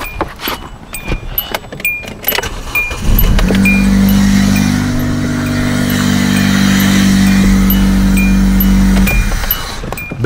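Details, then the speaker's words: Hyundai Elantra with a no-crank fault, with the corroded original relay put back in and everything connected, started from the key: a short crank, then it catches into a smooth, steady idle; normal start. "okay so I'm putting the corroded relay back in and yeah I have everything connected that's this car should start"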